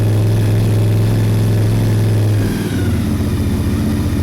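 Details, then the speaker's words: Honda SP1 twin restarted after restoration with fresh oil, low fuel, choke/fast-idle lever pulled out: strong steady thrum on choke, then settles into an even, lumpy twin beat; normal healthy fast idle on first proper run. "the fast idle up a little bit that sounds lovely that does we like a little bit of steam"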